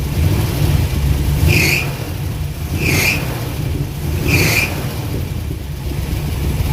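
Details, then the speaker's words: Abandoned Eleanor-style Mustang 289 V8 after fuel pump trouble: rough low idle with a hissy chuff about every second and a half, puffing like a train, smoking from both exhausts; suspected blown head gasket, possibly no oil pressure. "puffing like a choo-choo train. Looks like it's got a blowed head gasket, y'all. A lot of compression coming out."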